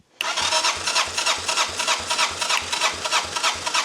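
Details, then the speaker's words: 1985 Honda Elite scooter, after turning the carb idle adjustment screw. The starter cranks about three pulses per second, a little sluggish, and it never catches. Cranks but no start; the battery is finally run flat. "okay well that certainly didn't make it start on its own and we finally killed this battery"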